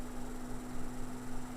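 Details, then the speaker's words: Steady low hum with a dry rough scraping edge from a 1990s Super Jet Stream turbo desk fan before restoration, slow to reach speed; motor bearings dry and stiff, needing cleaning and oiling. "the bearings are really dry you can hear the scraping or a dry bearing sound so I won't run it for too long"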